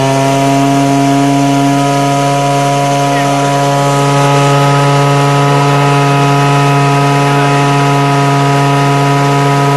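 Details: DIY turbocharger-based gas jet turbine go-kart with afterburner, gas-started via blower and igniter: loud steady roar with fixed tones near 150 and 300 Hz, even and unbroken; turbine running self-sustained.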